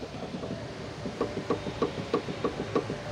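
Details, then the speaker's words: Toyota Avanza, front wheel rocked: dull metallic clunks about three a second from a worn, loose tie rod end; clunking over bad roads, shocks possibly leaking with broken mounts. "Long tirod-nya ini kocak ya. Lihat teman-teman dengarkan."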